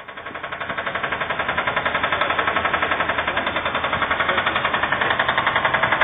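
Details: Subaru Impreza blob-eye EJ20 engine: heavy, rapid, evenly spaced machine-gun-like knock over the running engine; engine needs replacement.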